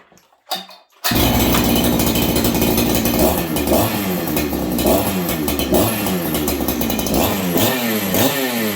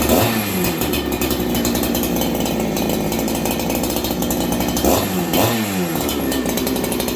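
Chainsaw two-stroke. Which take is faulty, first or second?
first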